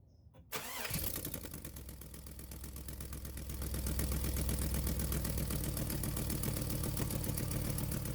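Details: 2001 Pontiac Trans Am after replacing secondary air injection check valve for code P1416 bank 2: engine catches quickly and settles into steady even idle, no misses, knocks or hissing leaks; running properly.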